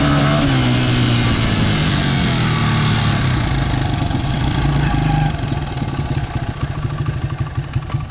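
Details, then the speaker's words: Honda XR80R dirt bike, second identical healthy bike for comparison, full-throttle 100-yard run: small single winds up smoothly and holds a strong, steady note with power all through the throttle; normal full-throttle run (problem bike had undersized main jet). "Yeah, so there you go. It's a totally different driving experience. You know, lots of power all the way through the throttle. Just more power in general."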